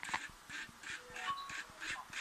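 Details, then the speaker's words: HP LaserJet 1020 printer, loud hum at power-on and noise when printing, gear removed and turned by hand: squeaky chirps about three times a second from resonance; burred, hooked teeth on a worn drive gear, gear set replaced. "滋扭滋扭响，就是它共振引发的那个声音。"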